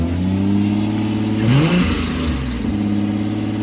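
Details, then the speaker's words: 2005 Lexus ES330, started with the key and no jump. A brief, sharp squeal flares over the idle when moved forward and backward, then fades; the power steering belt is still squealing a little. "That belt still squealing a little bit."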